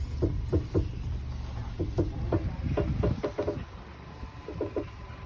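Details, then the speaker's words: 2008 Honda CR-V, steering turned fully left and right: irregular dry crackles and clicks from the front suspension; a service bearing guess was ruled out on a lift, traced to a worn front Zekkert stabilizer link. "что при повороте руля влево вправо до упора происходит треск такой непонятный вот выявили стойки стабилизатора"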